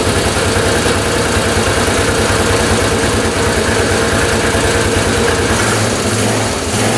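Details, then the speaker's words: 1998 Yamaha Grizzly 600 ATV that wouldn't exceed 10 mph, first start after a new CDI, stator hookup, and fresh fuel and oil: strong, even drone with no popping out of the carb, revving high; owner thinks the CDI was the fix. "That sounds pretty darn good. See how high that was revving? I think that might have been the fix."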